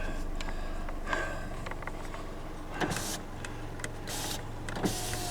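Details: 2009 Chevrolet HHR, revived after sitting 7–8 years, engine running: driver's power window motor gives a steady electric hum for a few seconds with small clicks at the ends of travel; window works normally.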